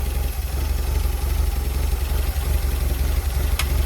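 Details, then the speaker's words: Porsche 924 cold start after sitting a few weeks, testing a newly installed fuel pump and accumulator: low, uneven, lumpy idle of about three pulses a second that improves when the airflow meter plate is lifted by hand; rough cold idle, cold start valve still suspected. "I'm just lifting the plate with my hand underneath, and the engine runs slightly better when I just touch it. But obviously the engine hasn't run for a few weeks, so it is a cold start."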